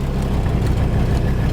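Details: 1984 Mercedes 300D turbodiesel, listed with mechanical damage: loud, heavy diesel clatter at idle with a coarse, uneven rumble; sounds horrible and runs rough, cause not yet pinned down.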